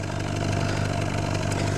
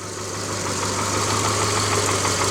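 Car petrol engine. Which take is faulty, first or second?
second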